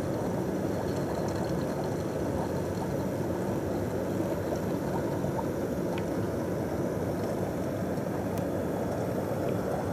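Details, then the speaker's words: John Lewis JLTDH15 condenser dryer running with a full condensate tank: steady drum rumble with continuous gurgling and squirting as the pump recirculates water, while the full-tank light has not come on. "Hear it squirting away. How has it just not given up and flashed at the condenser light? You can hear it gurgling away."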